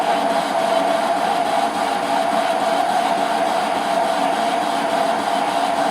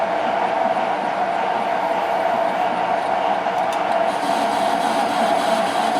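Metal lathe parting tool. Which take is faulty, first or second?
first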